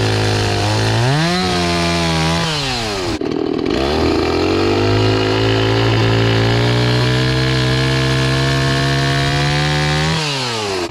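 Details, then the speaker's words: Restored old Stihl 026 two-stroke chainsaw after carburetor cleaning, cutting wood with a rusty, dull chain: crisp wail bogs slightly into the cut and revs back cleanly when clear; oiling properly, runs strong and healthy. "Okay, so this thing is actually pretty awesome. It's oiling it's oiling it properly. This chain's loosening up."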